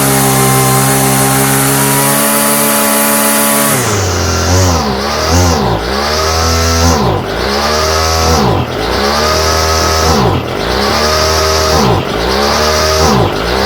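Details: Homelite string trimmer, no model number, new non-OEM Chinese aftermarket carburetor whose mixture screws seem fixed; two-stroke surges up and down about every 1.5 seconds, never steady, mixture not right. Cause suspected, not confirmed.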